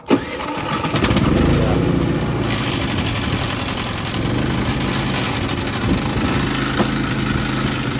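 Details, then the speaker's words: Harbor Freight Predator 3500 inverter generator at 984 hours, started hot with eco mode off: brief crank, slow to catch, then settles into a steady, even run; tools rattling on a glass table, not the generator. "And if you noticed it, when I turned it to start, it didn't start ri"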